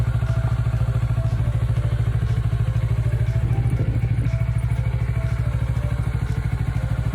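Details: Kawasaki Ninja 400R 400cc (registered 2013, 7 years old), started after about 3 months unused despite feared flat battery; even, steady low thumping about 200 beats a minute, no misses or knocks: normal idle.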